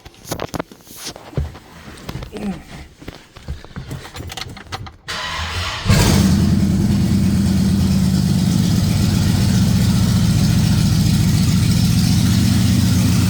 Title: 1965 Ford Galaxie 500 LTD Big Block 352 final run with bad rod bearing and cracked block.